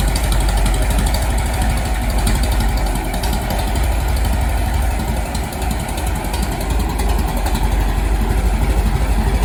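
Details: Restored 1921 American LaFrance fire engine after its finished restoration: a slow, even thumping idle of about three beats a second over a deep rumble; the old four-cylinder is settled and idling normally.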